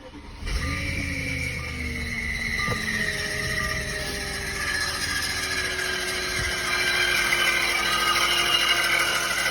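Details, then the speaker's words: 2006 Audi A6 4.2, cold start next morning: loud steady high screech with sliding tones over idle, not pulsing with engine speed, seeming to come from bell housing near starter; owner doubts timing tensioner, suspects water pump; source unknown. "started it this morning, and it's a pretty loud noise. I don't think it's timing tensioner noise because it's not quite the same, but I don't know what it is. I'm thinking maybe it might be a water pump,"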